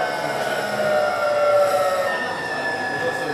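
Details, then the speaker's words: Variable-voltage, variable-frequency PWM induction motor drive, slowing down: a steady layered electric whine with pulses dropping and returning as the carrier-to-modulation ratio "gear changes," like a Cambridge–London train. This is normal inverter noise. "There we go. Very familiar sound to those people who take the train between Cambridge and London."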